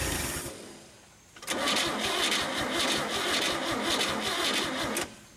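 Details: 1962 Chevy Bel Air being revived, battery possibly low: steady even cranking about three and a half seconds with no firing. Turns over but won't start; cause suspected, not confirmed.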